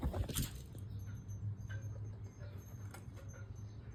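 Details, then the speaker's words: VW Touran TDI diesel after swapping a faulty reconditioned turbo for a scrapyard one to fix a boost problem: steady low idle rumble with no knocks or whistles; healthy and settled. "All in all, it was the recon turbo that was the problem, and the scrapyard one has got the car running."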